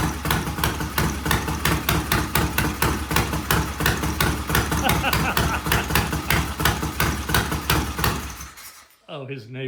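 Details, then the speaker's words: Vintage Triumph motorcycle, first start after electronic ignition, new regulator rectifier, timing set, wiring fixes, short pipes, no chain fitted: loud, even exhaust beat, steady firing with no misses, knocks or rattles; healthy normal running. "And let me tell you, it's loud with those shorty shorty pipes, but it is it is healthy."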